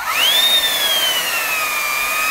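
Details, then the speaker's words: Small motor removed from a generic Chinese "Gale Force" cyclonic vacuum cleaner, run bare on a variac: loud high whine climbing and settling with speed, no crunchy noise, bearings still healthy. "bearing sounds still all right in it you can usually hear that horrible crunchy noise when they're starting to go so that's a noisy bastard of a thing"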